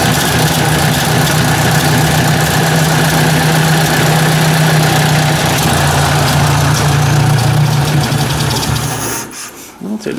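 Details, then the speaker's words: Ford 800 tractor: low idle drifts up and down on its own for several seconds before dying; hunting idle after choking and stalling, idle screw barely open; carburetor suspected to need overhaul. "get a mind of its own i don't know if i like that"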